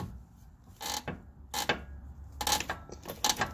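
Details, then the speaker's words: 2016 Toyota Corolla, 73,000 miles, passenger-side lower control arm with the ball joint disconnected, pulled by hand: dry, rubbery creaks from the rear control arm bushing, which also creaks over bumps and turns; fixed by greasing it. "that creaking noise is exactly what I'm hearing it's coming from right inside there"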